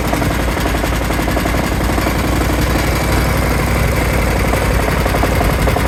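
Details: Kawasaki FH531V-BS06 18 HP V-twin running: loud, rough with a heavy, uneven low thumping knock and rattle throughout, shaking and leaking oil; owner suspects a bent crankshaft, source unconfirmed.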